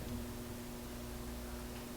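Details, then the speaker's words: Sansui AU-101 amplifier powered through a dim-bulb tester, with a weak left channel: steady low buzzing mains hum from the speaker, mostly on the left channel, caused by a filter capacitor that has lost its connection. "weird I'm hearing a buzzing sound the buzzing sound is there I'm not sure what that means I have I believe it's coming from the left side"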